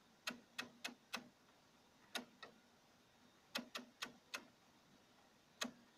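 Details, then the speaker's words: Single-relay oscillator with 110-ohm resistor and small capacitor at about five volts; sharp clicks in short irregular clusters of three to five with gaps, switching normally, though shock-sensitive and sometimes needing a knock to start. "you know you can listen to this to the noise that it's quite sensitive to to shocks can knock it out or knock it you have sometimes to knock it for it to work so it's not the best oscillator there is"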